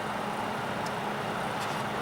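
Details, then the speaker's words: Repaired Alpine 500W PC power supply running with stable rails (12.72 V on the 12 V rail): a steady loud rushing whir with a low hum underneath. The cooling fan is still noisy even after being oiled. "as you can hear it's quite noisy i did oil up the fan"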